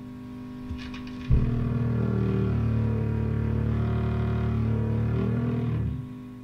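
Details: Viewer-built tube amp biased close to maximum plate dissipation: a steady low putt-putt throb at three to four beats a second under the note. Motorboating; the fix is lowering the bias, to around 10.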